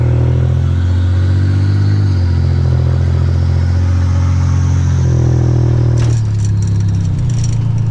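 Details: 1985 Nissan 300ZX Turbo (Z31) after new plugs, wires and replacing a torn charge-pipe hose (boost leak), having misfired under boost; radiator fan off, short local drive: deep loud exhaust drone, pulls hard without stumbling; normal acceleration under boost.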